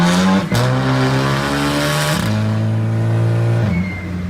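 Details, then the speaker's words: MK6 VW GLI just swapped to a Garrett GT2260S 60-trim turbo, housing still cooking in, while driving: revs climb and drop through the gears with a short birdlike chirp as boost lets off; normal turbo spool. "And for some reason it sounds like the door when it builds boost and lets off, but that's what she looks like. I'll let you hear this for yourself because it literally sounds like the Chidori bird."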